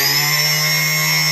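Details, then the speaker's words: Myflydream drone motor spun up unloaded, props off: steady high whine with coarse buzzy edge and noticeable vibration versus a smooth motor; bearing suspected, not confirmed. "can quite a bit of vibration come over to this one real nice and smooth you can hear it you can hear it in this one"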